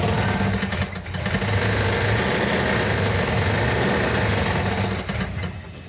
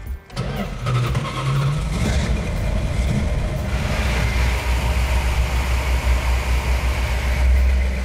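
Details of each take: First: 1970 Plymouth Cuda 340 V8, engine built about a year earlier and left sitting, on first fire-up: lumpy, uneven loping idle with dropping pulses, running on about six cylinders; compression test found low compression causing the misfire. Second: Plymouth Cuda with rebuilt 340 V8 (previously sabotaged with sand), 65 psi oil pressure at idle: catches and settles into a deep, even idle, no miss, hiccup or noise, smooth like butter; normal idle.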